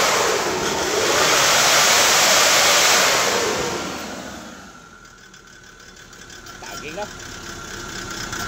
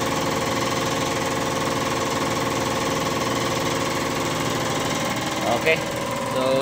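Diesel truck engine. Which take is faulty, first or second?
first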